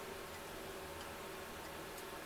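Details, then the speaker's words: 1977 C3 Corvette driver's side power window: faint clicks about every half second with no motor run. The motor receives power in both directions but does not turn, so the motor likely needs replacing. "I can hear it clicking but that's all I can hear so it might be another motor that we need to put in"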